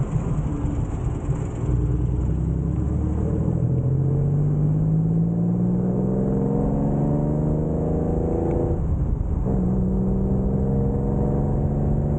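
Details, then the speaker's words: Barn-find Ford Capri Ghia on a country road run, camera held out of the window: revs climb smoothly, dip at a gear change, then pull again; even exhaust with no misfire, healthy. "Um, obviously we listen to the exhaust sounds pretty decent in my opinion."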